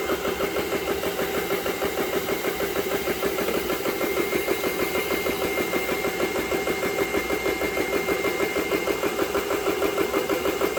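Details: GX CS3 air compressor, about nine months old, after repair of breaker tripping: steady fast chugging, about two beats a second, even with no rattle or stumble while filling; normal running.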